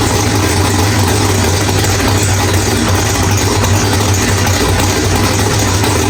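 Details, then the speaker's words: Drag-race V8 with Powerglide, after loose ARP flex plate bolts found, new ATI flex plate and stator installed; deep steady idle, running rich, no rattle or knock; sounds healthy after repair. "All right, guys. Well, everything sounds really good. Wow, that thing is rich in here."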